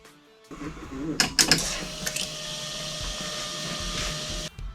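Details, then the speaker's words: 1990 Chevrolet Corvette with no-start condition, fuel pump jumpered directly from battery: after a few clicks a steady even electric hum holds about three seconds then cuts off; pump works with plenty of fuel pressure, ignition next suspect. "all right I eliminated the fuel pump that works uh plenty of fuel pressure"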